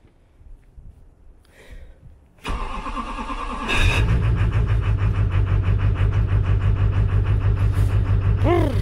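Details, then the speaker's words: 2001 Chevrolet Silverado Duramax LB7 diesel, cold start in freezing weather after starter replacement, after wait-to-start: brief crisp crank then fires into steady even clatter; clean cold start. "She is cold-blooded, but I'll do it again just to let you hear it. Way better."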